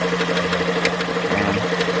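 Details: 2013 Dodge Journey 3.6L with 62TE six-speed automatic, raised on lift: quick sharp regular knocks over idle hum, louder when shifted and accelerated, loudest between engine and transmission.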